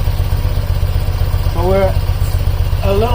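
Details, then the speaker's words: BMW airhead boxer twin after valve cover gasket, valve adjustment, timing and carb synchronization: steady even thump at about 830–870 rpm, no stumble or miss; carbs balanced, it had previously refused to idle or rev. "all it took from not wanting to idle what are not wanting to rev up to a perfect balanced part 8 30 840 850 something like that I like that"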